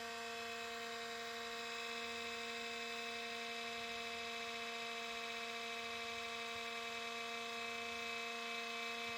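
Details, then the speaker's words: IBM ThinkPad R52 laptop (2005 model, made 2006), long neglected, on adapter; steady high-pitched buzzy whine from power-on; very loud cooling fan, likely worn bearing. "켜자마자 펜 소이 엄청 큰데 어 심각하네요 스펜 상태가"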